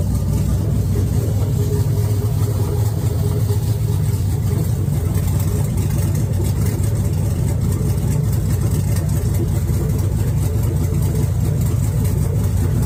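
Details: First fire-up of an LS V8 swapped into a Chevy S10: deep, steady, even idle rumble with no knocks or misses; the smoke is only paint burning off the manifolds, and the engine sounds healthy.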